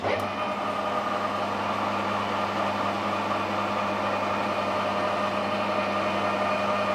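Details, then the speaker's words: Lathe turning a long unsupported workpiece sticking well out of the chuck: steady high ringing note holding its pitch over the lathe hum; chatter, needs tailstock centre support. "You hear it starting to sing. It is sticking out quite a long way."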